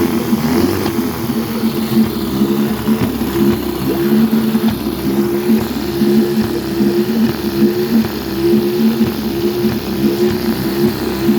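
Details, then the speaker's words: 1952 Scott Atwater-built Firestone 10hp two-stroke outboard, converted from gravity feed to fuel pump, cold day, pumping water well: uneven running, wavering pitch, occasional stumbles over a steady drone, lean sneeze; owner suspects top crank seal, may replace original diaphragm. "it's got the original diaphragm in it I might have to replace that pumping water real good got a lean Snee this might be the top crank SE"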